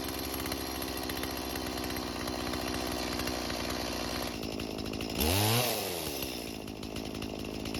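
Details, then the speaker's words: Stihl chainsaw that sat in a barn for years, with the idle screw turned; carb is non-adjustable: two-stroke runs steadily, revs and settles cleanly, carb working as it should. "Now luckily for us, the carb seems to be working just as it should, and that's because, like I mentioned earlier, these carbs cannot be adjusted."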